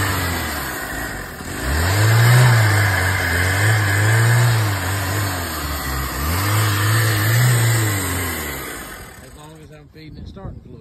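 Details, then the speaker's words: 1989 Honda Accord LX, five-speed, 236,000 miles, sat a couple of years, boosted battery: run on starting fluid it surges in two uneven rev swells then dies; fuel or fuel pump problem suspected, not confirmed. "may have a fuel problem may have a fuel pump problem but that's as far as we've been on it"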